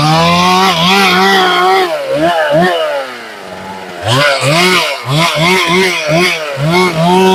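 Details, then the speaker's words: Chainsaw at full throttle, cutting white pine: it revs hard and breaks into an uneven burble (four-stroking) at the top, which is the normal slightly rich high-speed tune. "I don't know if you can hear that burbling on the top I'm going to do that again noise that's that burbling on the top I'm talking about the four stroking"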